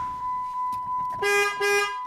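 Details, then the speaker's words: Chrysler Town & Country horn, now working after diagnosis and repair (plugs and wires also replaced): two short, strong horn blasts sound clean and full. "So now let's try the horn. I hope you can hear that. So the horn is now working."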